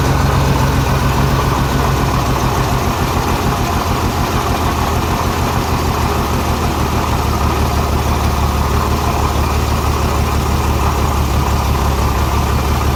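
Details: Renix Jeep Cherokee inline-six at idle: lumpy stumble about three times a second from a cylinder 6 misfire; its exhaust valve rocker moves less than the others, and backing off the rocker bolt later cured the miss.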